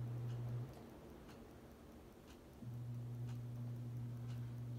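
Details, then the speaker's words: SMC Scandinavian ceiling fan on high: low motor hum with a faint tick about once a second on each turn, mostly bearing noise; the earlier grinding has largely gone. "all you hear is mostly bearing you don't really hear that grinding anymore so yeah I'm glad"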